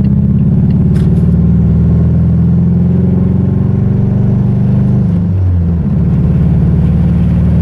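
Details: Mazda 3 engine after blowing during a clutch dump, running rough with a heavy low uneven rumble and lumpy loping beat, said to sound like a Subaru; internal damage suspected.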